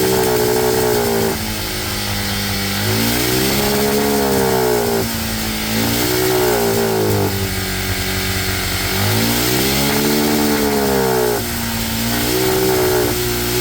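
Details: Cheap monkey bike with a new head gasket that still smokes; carb needle raised one notch for a richer mixture. Small single revs in uneven, hesitant blips and is still boggy, so the air-fuel screw needs adjusting. Boggy running.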